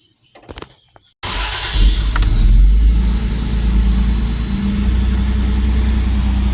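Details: 1994 Toyota T100 after the misfire fix, with the wires zip-tied into their holders: brief crank, then it catches and settles into a steady, even idle with no stumble or miss.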